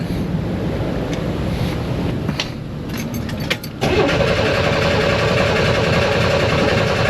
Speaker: so now I have to crank it to get gas from the fuel tank in the front to the engine in the back it's like an 8T long fuel line so we'll see we'll keep trying